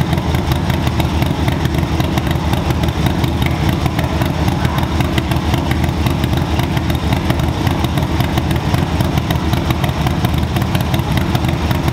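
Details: 2024 Harley-Davidson Low Rider ST, Stage 2 build with 483 Cyclerama cam and SP Concepts 2-into-1 exhaust, first startup after the build and still untuned: deep, steady V-twin idle with an uneven, loping cam gallop; running fine.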